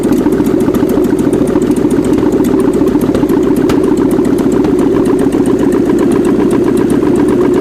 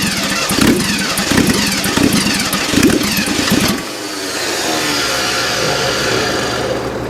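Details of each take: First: 1979 GMC Heavy-Half with a scrapped 350 small-block V8 with new heads, coolant system not yet hooked up; a steady, even idle with a smooth, regular beat and no misses or knocks; normal idle. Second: 1979 GMC Heavy-Half with a scrapped 350 small-block V8 on its first run, throttle return spring missing; it runs with an uneven, lumpy beat and ragged revs; owner says the timing is definitely off; rough running.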